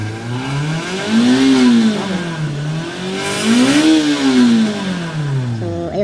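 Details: Toyota Vios with a long-cranking and low-power complaint, revved while still cold after repair: the engine pulls up cleanly through two smooth rev blips and settles back each time without stumbling, with normal power.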